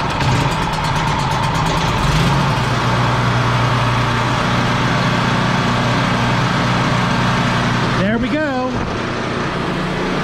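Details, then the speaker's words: Champion 4000 W surge / 3500 W running generator after cleaning a clogged carburetor, started on choke: constant, level engine note with a deep steady hum, no hunting or misfiring; voltmeter reads 110–120 V, running good. "we'll find something to plug in and make sure it's working properly but it sounds like it's running good"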